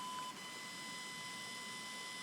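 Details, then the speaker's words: Fischertechnik pneumatic hand motor set to speed 3 from the diagnostics interface: a steady, thin high-pitched whine with no change in speed; the motor is energized at low drive but stalled and not turning. "three doesn't work you hear the whining of the mountain it does want to do it but it doesn't up works"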